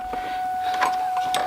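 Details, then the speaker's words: Mustang convertible with new top rams: the hydraulic pump gives a thin, hollow, airy whine as if empty while cycling, and keeps absorbing the fluid being added by syringe. Convertible top hydraulic pump low on fluid. "it sounds like it just consumes all that liquid"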